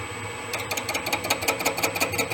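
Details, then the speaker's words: Boring head truing an egg-shaped clutch housing bore: sharp, even ticking about six per second over a quiet spindle hum, as the tool pops against only the bore's two high spots each turn, an interrupted cut. "little bit more of a hit you can hear it popping in two spots"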